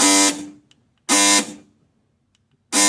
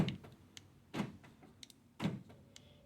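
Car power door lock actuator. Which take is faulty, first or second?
first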